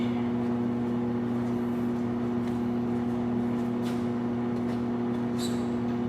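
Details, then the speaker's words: Low-mileage 1990 Plymouth Acclaim with a recently rebuilt engine, died while driving; coil unhooked for an arc test, even starter whir cranking with no firing; fuel looking unlikely, no spark found; cranks but won't start. "all right so we have no spark"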